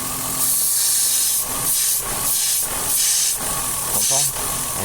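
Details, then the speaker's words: 2000 Ford Cougar 2.5 V6 170 hp at idle: loud steady hiss, and the engine sags and nearly stalls when the leaking vacuum line is touched; a vacuum leak pulling the idle down. "bon voilà ça c'est un truc qu'elle faisait pas mais c'est vraiment la dépression d'air parce que regarde quand tu quand tu touches la dépression qui fuit ça m'a pris presque Calais regarde écoute"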